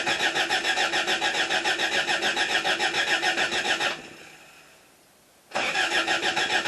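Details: 1977 Toyota Celica: steady fast cranking at about three and a half turns a second that never catches; out of fuel, needs gas; oil pressure had not come up.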